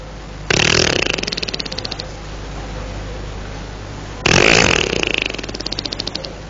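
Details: Motorcycle that died after a short ride, out of fuel: two cranking bursts, each a quick run of chuffs that dies away without catching; the owner also thought the engine seemed jammed.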